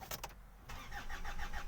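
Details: 2008 Hyundai Santa Fe 2.2 L diesel, ~320,000 km, broke down on freeway; crank sensor waveform checked while cranking; slow even crank ~7 pulses a second, never fires; crank sensor signal looked wrong, cause unconfirmed.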